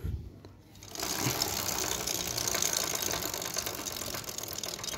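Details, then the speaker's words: Honda Titan 150 motorcycle with a fast metallic chain chatter that rises with revs; the chain is rubbing and echoing off the small chain guard. "o que faz esse barulho pessoal é exatamente essa proteção inha aqui ó essa proteção inha certo é o que ecoa esse barulho"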